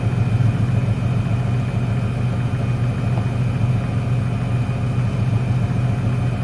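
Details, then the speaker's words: 1996 Ford Ranger 3.0L V6 lacking power, low lumpy idle with an uneven thump; the first bank's cylinders fire, but pulling the last plug lead on the other bank changes nothing, so that cylinder is dead. "el problema está en el último al desconectarlo no se nota ningún cambio en el motor"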